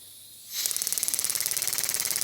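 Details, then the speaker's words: Vevor pneumatic jewelry engraver, air pressure 30 PSI: with the speed control set to zero, pressing the pedal makes the handpiece hiss and then hammer fast and evenly, about seventeen strikes a second, far above zero beats per minute; cause suspected, not confirmed. "So this is supposed to be zero beats per minute. This is considerably more beats per minute than zero."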